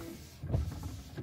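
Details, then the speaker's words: Dodge Ram windshield washer pump after cleaning its clogged screen, which caused a weak spray: small pump buzzes in short bursts without straining or stutter; spray now reaches about 3/4 up the windshield, normal operation. "better actually makes it probably 3/4 the way up the windshield now whereas before it was it was falling short of the windshield wipers pretty much"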